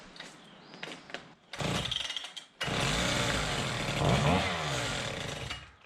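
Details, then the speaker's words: Husqvarna K760 two-stroke concrete saw after service and ignition coil replacement: fires after a few pulls, then revs up and runs strong and clean without misfiring or bogging; the coil was the main running problem. "So it seems like the major running problem with this was the coil,"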